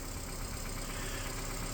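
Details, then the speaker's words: 2010 Nissan Cube, formerly in limp mode, after new motor and transmission mounts, coils, plugs, mass airflow sensor, transmission, speed sensor, battery and exhaust fix; steady, even idle with a smooth low hum and no ticking or knocking. Engine sounds healthy. "The cube starts and runs as you can hear as there's no knocking, no nothing going on."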